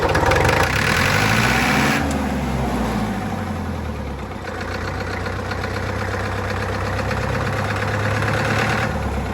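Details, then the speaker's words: Warm John Deere 2010 diesel idling with a steady light knock about four times a second over the engine beat. The knock persists after work on it; the owner plans to order a new rocker cover gasket. "Okay, even though it's around there, I can still hear a knock coming out of it. That's annoying, but I'm not touching it again today."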